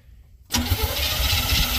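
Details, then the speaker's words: Old GM square-body dump truck revived after sitting, flooded carburetor: starter catches and engine lurches into a rough, uneven run; owner suspects stuck float needle, plans to pull carb top. "yeah I'm going have to pull a top of the carb off see if I can get the needle quit being stuck"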